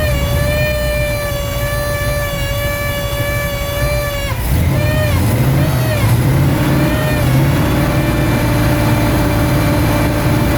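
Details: Chevy 350 small-block in a 1973 Buick Apollo hot rod, just after a Holley carburetor swap: uneven, lumpy running with wandering revs and a faltering beat; owner suspects loose carburetor fasteners, cause not confirmed.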